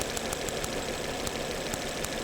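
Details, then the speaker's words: 2011 Volvo C70 with intermittent hesitation and no codes, spark jump test on a new coil; sharp dry snaps several times a second over the running engine, spark jumping about 1.5 inches. Normal, healthy ignition spark. "You can hear the spark happening. That was not happening yesterday."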